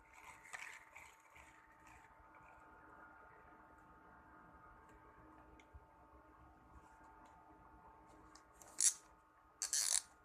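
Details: Brand-new Shimano 16 Vanquish 4000XG spinning reel being cranked: a gritty, abnormal gear-grinding rasp with faint tones and ticks while retrieving; the spool cap also rattles when shaken, suspected loose unassembled internal part.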